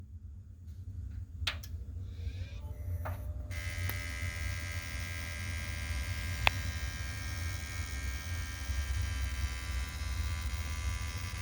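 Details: Desktop PC (i9-11900K, RTX 3060 Ti, MSI Z590, NZXT Kraken M22 AIO, XPG Core Reactor Gold PSU). A constant low buzz with a thin, steady high whine layered over it.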